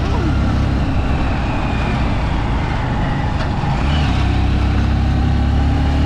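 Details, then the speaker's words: Honda Supremo 150 ridden onto the national highway after replacing chain and sprockets (stock 15/43), which had been very noisy before: steady engine drone and road rush, no chain whine or slap; new chain and sprockets run quietly. "Dahil tamang tama ay papasok na tayo ng National Highway para masubukan natin kung tahimik na nga ba talaga yung alaga natin mga idol, no?"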